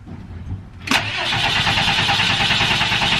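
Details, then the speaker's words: Diesel step van, second crank after a new fuel filter install and waiting for the fuel heater: the starter whirs steadily but the engine never fires. No fuel leaks. Owner suspects fuel still needs pumping through the filter, which was not pre-filled. "It's not going, but I don't see any fuel going anywhere, so that's a good sign. That's twice. It's probably just got to pump the fuel through."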